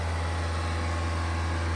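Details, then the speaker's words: Mahindra XUV700 BS6 diesel held at 2500 rpm for about 5 minutes during DPF regeneration, heard from outside near the exhaust, which blows very hot air: steady, even low drone, no knocks or misses; very refined engine, normal high idle. "Refinement सुनो भाई इसका, it is raving like petrol engine bro, sorry guys. बहुत refined engine है।"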